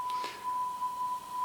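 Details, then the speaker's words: Sony TC-WR665 double cassette deck (early 1990s, owned about 20 years), pinch rollers turned around after fears they were too narrow, playing a 1 kHz test tone: clean steady pitch with no wow; speed sounds near enough to 1 kHz. "so I don't know how accurate the speed is on that one sounds near enough to 1 khz to me anyway"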